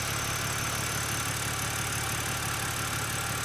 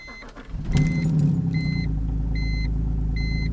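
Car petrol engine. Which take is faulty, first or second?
second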